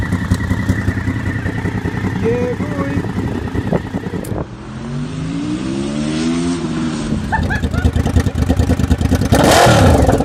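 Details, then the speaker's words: Honda VFR750 V4, cold, after swapping the two coil packs back: idles evenly, revs cleanly up and drops back without stumbling; now runs correctly, normal revving. "So I did. Big Team VFR now runs correctly. Fucking yeet."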